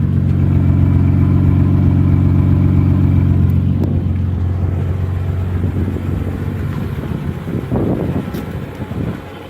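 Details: 1986 BMW 325 with 2.7 straight six, first start in weeks after a hard, long crank; deep steady six-cylinder idle hum, even for a few seconds then fading under other noise; clean healthy idle.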